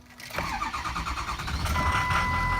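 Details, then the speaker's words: Cold first start of the day after repairs, new oil cooler, belt, heater core tubes and hoses, radiator hoses; previously long-cranked every cold morning: starter turns barely half a second, then a steady, even idle; normal cold start. "That will work. That was the first start of the day, cold start."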